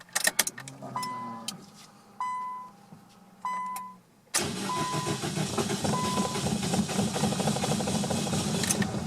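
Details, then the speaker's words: 2001 Nissan Sentra on its first start after installing a new fuel pump assembly, with the tank almost empty. Short cranking bursts, then it catches at about four seconds and settles into an even run. "all right guys this is my first attempt to start the Nissan subsequent to installing the new fuel pump assembly"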